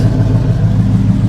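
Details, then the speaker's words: GM V8 jump-started from a dead 7.9 V battery, with the original intake: deep, even burble with a steady beat and no ticking or knocking; smooth, normal idle. The alternator charges at 14 V and the AC blows cold. "This is real nice. Listen, that thing purr."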